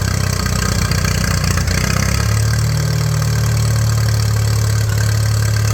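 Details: 1941 Case SC tractor: low, slow, slightly uneven thump about 150 beats a minute; carburetor only halfway adjusted, idle set too low, fuel tank shaking loose.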